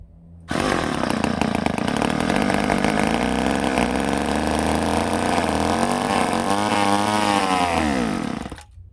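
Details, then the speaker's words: Ohlsson & Rice chainsaw sat 20+ years, running on prime: catches and buzzes about eight seconds, revs hunting and sagging, then dies; not pulling gas, owner suspects a small plugged part, fuel starvation. "now we got to do is maybe figure out why she's not pulling gas I have a feeling that this little number just might be plugged up"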